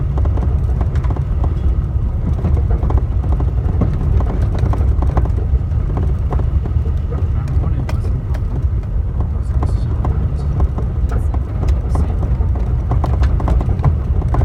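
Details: Toyota Tacoma driven on a rough road: irregular sharp clunks from under the steering wheel through heavy road rumble; cause unknown.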